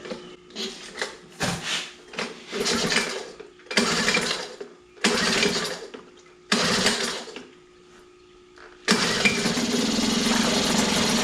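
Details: Mercury 2.5 hp two-stroke outboard after carburetor soaked and cleaned, new fuel hose and cleaned tank valve, choke set: several pull-start bursts fail, then fires and settles into a steady buzzing run. Normal start.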